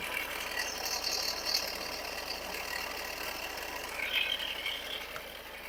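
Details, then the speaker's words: 2017 Ford Edge diesel, customer reports sudden chain-like noise: steady rough crackling grind over the running engine, loudest at the alternator side; metal pieces found, failing alternator bearing, alternator replaced. "I can hear train noise from alternator side."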